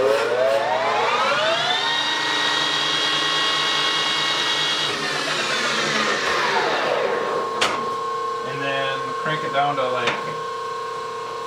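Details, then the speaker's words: Rebuilt Harrison M300 13x40 metal lathe, reground and refitted, run up to 2500 rpm top speed then down to slow speeds, phase converter nearby; smooth gear whine rising, holding, falling, slight gear noise in some gears; normal spindle run. "so it's relatively quiet much quieter than my old embossing that's for sure get down to slow speeds of course and it gets really quiet"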